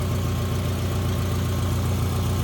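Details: 2009 Subaru Forester AWD automatic, 34 degrees out, rear main seal previously replaced by seller: steady low even hum with no knocks or misses, smooth warm idle; healthy engine, normal warm idle.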